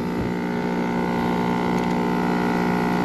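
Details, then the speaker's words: Packaged AC compressor, found very hot with open windings the day before: loud, steady drone with a rough low buzz, not pumping; possibly running in reverse, out of phase. "52 4 6 53 Wonder it's out of phase that just seems strange it's just not pumping"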